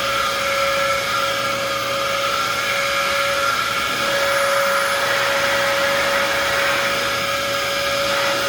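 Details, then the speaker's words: Vacuum cleaner run with attachments, no brush roll: loud steady roar with a hard whistling tone; motor sounds rough, suspected worn from extended use with a poor filter, unconfirmed. "I can also tell the person ran this ran this for an extended period of time with that shitty filter in because the motor sounds like on this machine"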